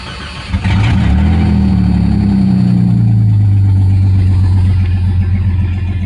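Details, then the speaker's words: 1989 Jeep Cherokee 4.0L I6 (AW4, Renix) after new crankshaft position, temperature and knock sensors, before the MAP sensor: it cranks briefly and catches into a steady, even low idle; normal start. "sensor do you know I don't notice a difference do you actually it sounds like an Idol's a little lower I don't know works for me this"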